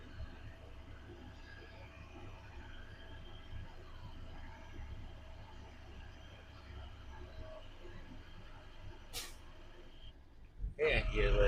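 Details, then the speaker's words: 2025 automatic Class B truck air brake governor check, idling, governor cut-in 90 psi, cut-out 125 psi: low steady idle then a sudden loud burst of hissing air at cut-out; normal dryer purge. "The governor kick out. So I'm going to hear the hissing sound."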